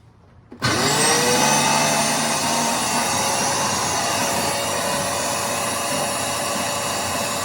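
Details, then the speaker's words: Shop vac motor spins up fast with a high whir and a rough grumble from worn motor bearings/bushing; it spins freely with low resistance because the radial fan is loose, causing no suction. "so there are two problems with this shop vac the first one is the one you just heard which is a disconcerting Grumble coming from the motor bearings"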